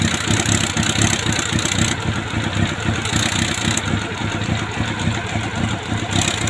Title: CB400 PB1 ENGINE RATTLING NOISE